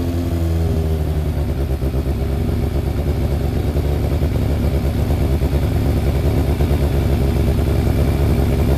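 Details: Freshly rebuilt Thunderace engine at its initial start-up, with water leaks still present: it catches and runs strong, revving up and down cleanly with an even beat. No knocks or rattles; normal running and revving.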